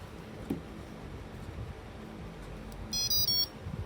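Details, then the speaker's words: T-Motor AM40 ESC startup: quick run of short high beeps with motor silent after throttle centred and battery connected, normal arming sequence. "พบผักขึ้นหรือลงมาแล้วแต่จะมีเสียงติ๊ดหลังจากนั้นเนี่ยจะเริ่มทำงาน"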